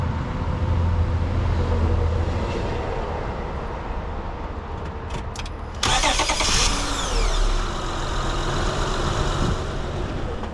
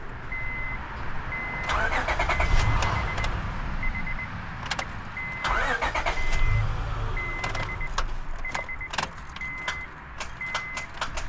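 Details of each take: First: 2005 Honda Odyssey after replacing a starter that only clicked: a brief crank catches quickly and settles into a steady, even idle with no grinding or whirring, a healthy start. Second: 2005 Honda Odyssey: sharp clicks with each key turn but no cranking, over a steady warning chime; starter solenoid clicking, starter diagnosed as failed and needing replacement.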